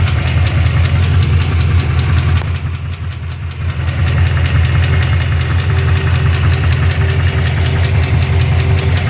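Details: Rebuilt Chevy 350 5.7 V8 at idle: steady regular knock about two to three times a second; cause unknown.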